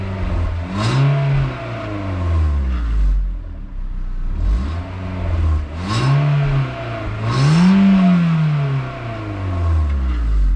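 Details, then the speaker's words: VW Mk4 Bora wagon, 1.6 16-valve with stock exhaust and small stock piping, warm start after an hour's drive; fires and settles into steady idle with clean rises and falls on a few revs, no knocks or rattles; normal start and idle. "So there's your startup and some revs, both of these stock exhausts. Pretty uneventful."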